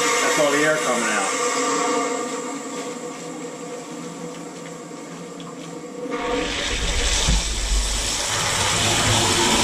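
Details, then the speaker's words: HALO 5 whole house water filter just installed, forced regeneration cycle running 10 minutes: strong hissing rush of water and sputtering air out of the drain under pressure, surging then settling; normal air purge. "This water comes out of here with the pressure, so hold this for simultaneously and it'll kick on. Bang. A lot of pressure coming out of that."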